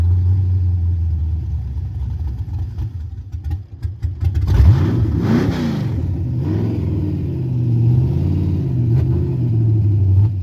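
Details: Carbureted 5.3 LS swap Mustang with MSD ignition that starts and dies: engine cranks and catches with a blip, then holds a high, slightly uneven fast idle instead of settling; carburetor, timing or vacuum leak suspected, not confirmed.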